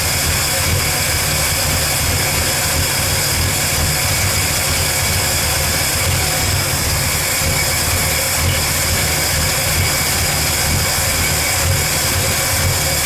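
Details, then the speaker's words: 1985 Ford F150 300 inline-six after fitting a replacement carburetor and distributor, smooth steady idle with no knocks, skips or hunting after a little throttle blip; best it has run, though gas was leaking at the fuel filter. "oh now it's buring like a kitten did you guys see that I just gave her a little you know hop too and that's the best I've heard this thing run"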